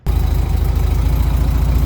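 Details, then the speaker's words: 1978 VW Super Beetle air-cooled four with L-Jetronic injection, just cold-started before timing and mixture tuning: lumpy, uneven loping idle; owner suspects it is running a little rich, not confirmed. "All righty. I just fired it up. She's a little lumpy. I got a suspicion she may be a little rich."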